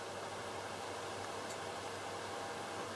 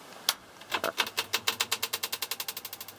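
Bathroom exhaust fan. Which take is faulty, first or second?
second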